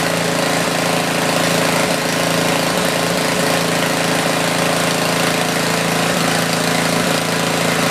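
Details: Tecumseh 4,000 W generator with 8 hp engine, sat about a year, under a small drill load during a metered output check; steady, even drone with only faint stray ticks, holding speed. Normal running under load.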